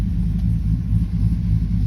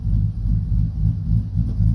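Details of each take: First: 2012 Chevy Silverado with bigger cam and Circle D torque converter, in reverse: deep, slow, slightly lumpy idle rumble sitting low and uneven; idle speed set too low, adjustments via scanner planned. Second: 2012 Silverado V8 with bigger cam and Circle D converter, idle raised after it idled too low, AC off: deep, lumpy idle pulsing about four times a second with an even, steady lope; normal idle.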